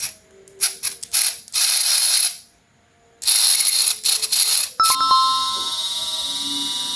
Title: how to fix a DC motor that is stuck and making strange noise #dcmotor #electronic #maintenance